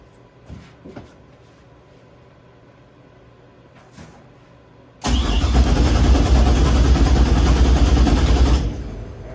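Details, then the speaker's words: Engine before its first start attempt, with the anti-theft system disabled in the ECM, fuel added and good oil pressure confirmed: the starter spins it briskly and evenly at about 200 compressions a minute with no hesitation. Normal cranking. "It's got oil pressure. It's, you know, it turns over, it sounds good."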